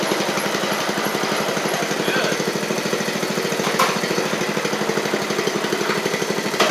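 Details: Seven-year-old MTD Murray riding mower, single-cylinder engine after running well at first: uneven, lumpy firing with stumbles; owner suspects water, not confirmed.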